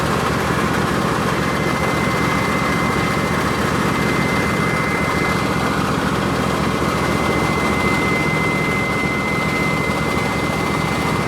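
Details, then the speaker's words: Husqvarna YTH24V54 lawn tractor running: steady, piercing, extremely high-pitched belt squeal over the engine, caused by the drive belt rubbing on its guide bracket. "it's like an extremely high pitched squealing noise which is very annoying"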